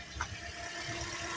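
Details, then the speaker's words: 2010 Toyota Matrix at 164,107 miles, no codes, after a suspension, driveline and tune-up overhaul (plugs, coils), listened to from up top. Smooth quiet idle with a soft hiss and no misses, ticks or knocks; a normal healthy idle despite occasional stalls right after battery connection. "Oh, listen to that smooth running little P thresher. She's happy."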